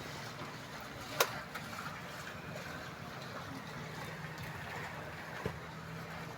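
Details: Yamaha scooter that wouldn't start after flood water wet the stand/kill switch contacts: now idling with a quiet, steady low hum, no knocks or stumbles, running normally after drying.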